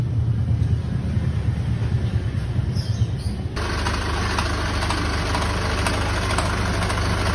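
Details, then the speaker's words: Isuzu QL 2022 diesel at idle: smooth until the air-con engages, then harsh, fast metallic knocking from the A/C compressor; compressor nearly dry of oil, oil starvation, compressor replaced. "isa po sa dahilan kaya umingay ang compressor natutuyuan po ng langis sa compressor tulad po nito"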